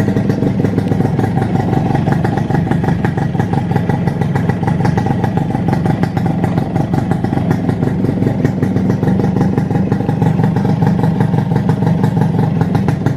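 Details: Suzuki Satria Hiu two-stroke just after an engine rebuild that cured a very loud, noisy engine, piston still breaking in: steady even idle with a light rattly exhaust buzz, no knocking or grinding from the bottom end; running smooth.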